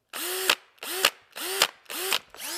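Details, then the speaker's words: Milwaukee cordless drill, compared with a 20 V DeWalt on 1.5 Ah batteries, clutch tightened to rattle: short bursts about every half second, motor pitch climbing then a crisp click at the stop; precise, clean clutch ratchet, little clunk, working normally. "just has, Milwaukee has a more of a precise sound. The gears sound better. It doesn't have quite such a clunk when it comes to the stop."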